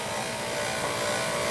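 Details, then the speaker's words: Oil burner boiler running with a steady thin whine over the burner roar, called pump whine; the circulator was installed upside down, and motor bearings may squeal if not oiled. "that's the pump that's what they call pump whining"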